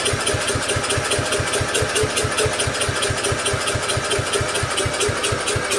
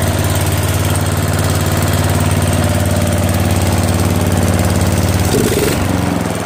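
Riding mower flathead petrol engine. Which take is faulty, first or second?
first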